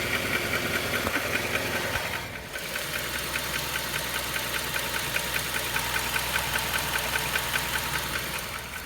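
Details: Honda CR-V engine: sharp regular ticking about two and a half per second over a steady idle, a light clacking of unknown cause.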